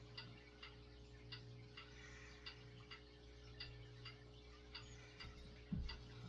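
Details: 1970s Galaxy 3713 Turbo Stream 20" box fan, 3-speed non-reversible motor, on low: smooth low steady hum with a soft light tick about every half second, no scraping or wobble; running fine.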